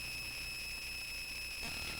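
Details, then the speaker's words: Touch Board: constant thin high-pitched electrical whine over faint hiss on the audio output; cause unknown. "hear the noise great such a lovely noise i'm not quite sure why the noise"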